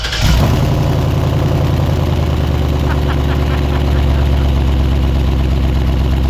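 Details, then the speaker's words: Cat-eye Ford truck with dual exhaust pipe hacked off: engine catches and settles into a deep, throaty idle rumble, louder than stock, from the open cut-off pipe. "all right guys so the exhaust is gonna stay like that for a little bit it's got a bit of a rumble"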